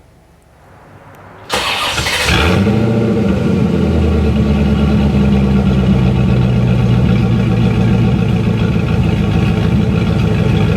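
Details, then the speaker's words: C4 Corvette V8 fires up after a brief crank and settles into a steady, even idle with no popping after valve lash adjustment with the engine running, a 2.5-inch front Y-pipe deleting the front cats, and Cherry Bomb glass packs. "And that's what I did. So she sounds pretty good now."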